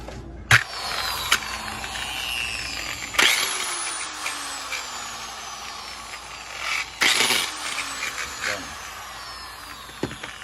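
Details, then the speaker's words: Handheld polisher with strange noise, tested before disassembly: high motor whine breaking into sharp rattling bursts, pitch sagging as it winds down. "Entonces vamos a ver por qué ese ruido extraño"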